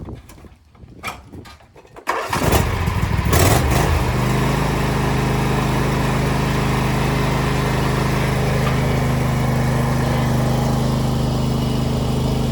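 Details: Husqvarna LGTH 24V54 lawn tractor after muffler re-welded and skid plate straightened: a few starter sounds, then fires and settles into a steady, even twin-cylinder idle with a smooth, tight exhaust note; normal running.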